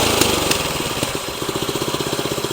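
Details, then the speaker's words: Tru-Cut C-25 reel mower with Honda GX160, after carburetor replacement for surging, barely warmed up: settles to a steady, even low-idle putter with no hunting or surging after full-throttle run; carb now holds idle properly. "If you listen to that, it still stays idle. It's hardly even warmed up. That is exactly what we want."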